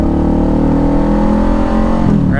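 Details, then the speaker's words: Motorcycle in first gear at about 20 mph: loud, strained, high-pitched engine note that keeps climbing as RPM rises; engine over-revving, needs an upshift. "it's screaming I'm up to 20 miles per hour in first gear it's screaming at me it wants me to up shift right"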